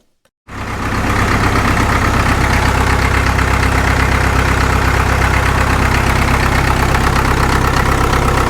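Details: Caterpillar D2 #5J1113 diesel after swapping the internally leaking number 4 injector for another: engine catches and settles into an even, steady idle with no pops or misses; pop gone, sounds better than ever.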